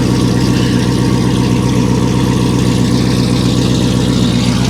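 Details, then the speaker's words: Low-mileage salvage C5 Chevrolet Corvette Z06 with mufflers removed, started briefly in the yard: very loud, deep, lumpy idle with a hard rapid burble and no muffling at all; loud exhaust. "they took the Mufflers off of it okay that's that's enough of that we're not gonna run this one long wow that's that's crazy"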